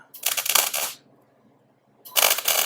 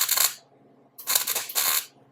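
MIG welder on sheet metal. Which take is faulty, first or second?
first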